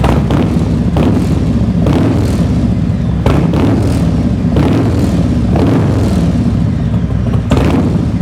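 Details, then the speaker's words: 2021 Harley-Davidson Road King heard from behind at the rear on a cold 38-degree day: a loping V-twin idle with about eight crisp throttle blips that rise and fall cleanly, and a deep, even exhaust note. Normal idle and revs from a healthy engine. "let me sit you down behind and i'll give you a little rev so you can hear what she sounds like from the back end here that sounds good"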